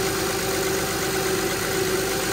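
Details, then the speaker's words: 2006 Honda Pilot 3.5L V6 after power steering pump replacement and bleeding (reservoir, O-rings and hose already replaced before): even, steady hum with no groan or whine at idle; pump quiet and healthy. "you can hear it's quiet [Music] everything working good"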